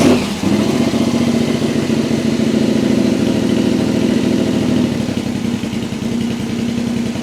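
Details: Yamaha XV1000 Virago 1000cc high-compression build with 750cc heads, one cylinder at about 180 psi, early morning: strong, even V-twin beat that picks up cleanly, with one backfire from excess fuel. Healthy, normal running.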